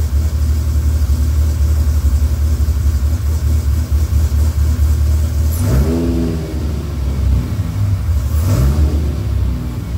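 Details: Freshly rebuilt Dodge Viper V10, first startup after oil priming: smooth steady idle, then two clean throttle blips rising and falling evenly. About 60 psi oil pressure, no leaks, radiator warming; healthy.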